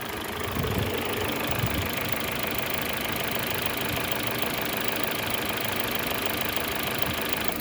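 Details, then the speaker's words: Car idling with uneven, loose tapping that comes and goes, roughly two knocks a second. The valve timing and seals were recently replaced; the source of the knock is unclear. "подскажите что может быть на холостых оборотах когда машина работает"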